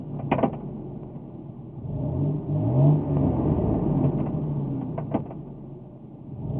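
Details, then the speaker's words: 1998 Ford F-150, engine about 120,000–150,000 miles, automatic transmission: engine bogs briefly when shifted from neutral into drive but the truck won't move forward, though reverse works; owner believes it's not the torque converter. "we go to uh go to drive and you heard the the engine uh bogged down a little bit you know as you go from neutral driving cars it bogs down but then uh now forward gears"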